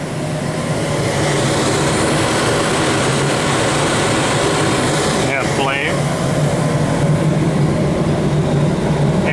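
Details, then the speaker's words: Oil furnace with a hybrid heat pump coil on top, switched to stage two heat: the heat pump shuts off and the fuel oil burner fires. A steady, even roar with a low hum underneath, no surging or puffing; normal oil burner operation. "let's flip it to stage two now and see what it does now immediately the heat pump shut off so we can see the oil burners fire it up"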